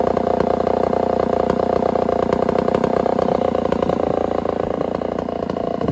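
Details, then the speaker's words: Homelite 1050 100cc two-stroke chainsaw with 404 chain, first cut in wood: high, ragged buzz under cut with wandering revs, not pulling, running lean despite richening; owner suspects a serious air leak. "well that 1050 isn't running so hot guys um i keep riching it up and it's still running like it's lean so we got some sort of a serious air leak going on"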